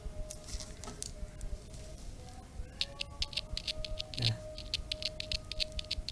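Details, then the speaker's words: Small loudspeaker tested by touching battery to leads, mic held close: scratchy crackles and pops each touch over faint hum; voice coil intact, speaker normal. "Nah kalau bunyi krek-krek itu berarti speakernya normal ya"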